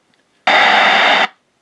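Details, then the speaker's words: Bearcat BC-210 radio scanner, likely early 1980s, found in a dumpster, on a bench power supply drawing about 250 mA; receiver works but a harsh, even hiss-buzz background noise is heard, cause unknown, power supply suspected. "So it sounds like the receiver is working, but we've got an awful noise in the background there."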